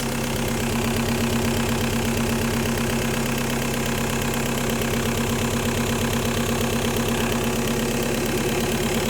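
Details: 1.9L M-TDI diesel with a fuel problem: steady idle with a hard, rhythmic knock at a fixed rate; diagnosed as bad injectors.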